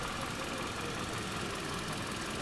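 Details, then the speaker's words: Toyota 1ZR-FE engine after a full overhaul, warmed up with hydraulic lash adjusters bled; odometer shows 205, true mileage unknown: steady, even petrol idle with a soft hiss, no knocks, ticks or misses, running smoothly. "Я уже заводил, прогрел, компенсаторы прокачались. Сейчас послушаем, как работает, покажу вам. Пробег на спидометре 205. Ну, на самом деле неизвестно сколько. Работает четенько."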